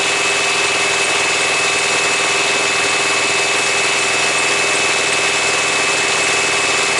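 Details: Thermo King APU diesel generator on a truck, just started after bleeding: steady run with thin constant high squeal; worn paper-thin drive belt slipping, barely turning; unit not cooling well, low-voltage indicator coming on.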